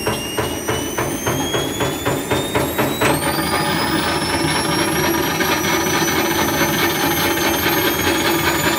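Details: Nidec washing machine motor fitted to Candy Grand'O Vita tumble dryer, run up on a variac: rhythmic slap about twice a second under a climbing whine, then the note jumps and smooths as the belt hops across the pulley; owner suspects wrong motor angle.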